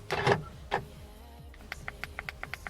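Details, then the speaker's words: BMW Z4 with EWS, trying a Mini EWS key: after handling thumps, about eight crisp, evenly spaced lock clicks confirm the key is accepted, but it only unlocks the doors and does not lock them. "very interesting this key works oh but it doesn't lock it only unlocks so right now both of the doors are unlocked"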